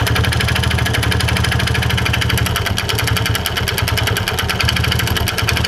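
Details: Yamaha Vega Force motorcycle engine: loud uneven clattering rattle over a rough, lumpy idle; worn cam chain with broken tensioner, plus worn piston. Worn cam chain and tensioner.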